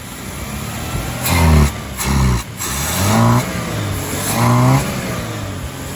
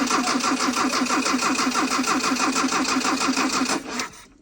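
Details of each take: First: 1981 Dodge Challenger revived after years off the road, running with choke held closed manually: engine surges in uneven blips and sags, won't idle; external accelerator pump dead, suspected bad or passageways clogged. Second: 1981 Dodge Challenger four-cylinder with Weber carb, off the road for years, cranked via starter crank circuit with a power probe: brisk, even cranking for about four seconds, sounds like an 80s Japanese four; normal cranking.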